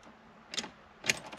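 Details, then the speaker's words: Mk2 Jetta automatic, hot after driving, starter in a poor location and heat-soaked: a few sharp dry single clicks about half a second apart with no cranking; solenoid clicks but starter won't turn until cooled 30–60 minutes, or possibly if tapped with a hammer. "I hear it click but actually right now it's clicking if I tapped it once it might start"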